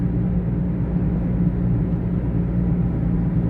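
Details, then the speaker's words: Taxi driving at cruising speed. Steady, deep droning hum under road rumble, like a propeller plane sound effect in a movie; worn wheel bearing drone. "It sounds like a sound effect for a propeller plane in a movie. Oh, that's not good."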